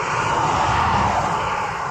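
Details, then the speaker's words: Rover 216 SE cabriolet, about 80,000 miles, broken down, cranking: a steady, fast, even whirr with no compression pulses; the engine spins too freely, so the owner suspects the cam belt has snapped and the cams aren't turning. "urning down there but it's just spinning over super fast sounds like there's no compression whatsoever which leads me to believe that uh the cambod's broke and the cams aren't spinning"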